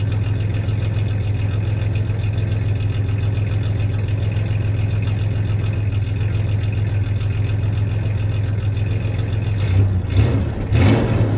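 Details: 1993 Ford Ranger 3.0 V6 at idle with a slight misfire and a short rev at the end: low steady idle with a faint uneven lope; the clanking heard is tie-downs in the bed, not the misfire.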